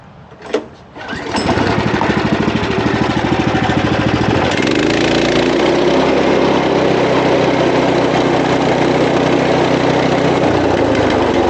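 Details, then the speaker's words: Power King stump grinder, small gas engine revving: rough growling hammer from worn, possibly flattened or broken cutter wheel bearings, worse after grinding a green hard maple stump; vibration felt through the machine. "Hear them babies growling. And of course I can feel it through the machine. Probably should have done it a while ago. I'm assuming it's these bearings."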